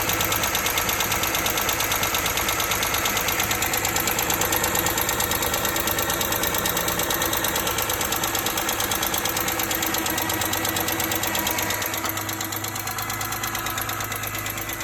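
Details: 2005 BMW E46 M3 six-cylinder idling with a steady, fast light ticking about three per second; it began the day after a long, hard drive. Diagnoses conflict between a pitted exhaust-side rocker arm and rod bearings, so the cause is unconfirmed.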